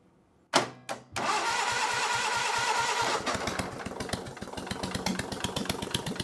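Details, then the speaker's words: Onan engine on a Davis/Case trencher, intake manifold off, started on jump pack: short crank, catches, uneven hunting idle rising and falling; running lean, opening idle mixture another quarter turn for more fuel makes it idle. "if we open that another quarter turn can we get it to idle yes we can she wants more fuel there we go look at that oh she happy"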